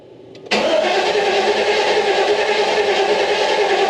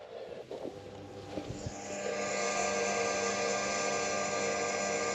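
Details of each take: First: 1990 GMC Sierra OBS abandoned project, on a jump pack after oil pan change: steady fast starter cranking that never catches; fuel pump heard but fuel gauge shows empty tank, no fuel, one gallon added next. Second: 1990 GMC Sierra OBS abandoned project; after tightening loose starter wiring, a click then a steady, even electric whine holds without wavering as the fuel pump primes normally; starter does not yet crank.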